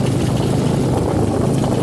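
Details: Suzuki V-Strom 250 SX single-cylinder at idle with a loud chattery rattle over the low thump; rattle of unknown origin needing tracing.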